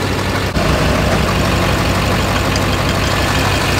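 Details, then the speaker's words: Duramax diesel pickup idling after a sudden shudder, nose drop and loud bang while driving; it had shuddered at 55 with a tap. Heavy, uneven, lumpy beat of about three a second, like one cylinder not firing; cause suspected, not confirmed. "So what exactly is going on right now? Something's not running right. Sounds like it might be down a hole."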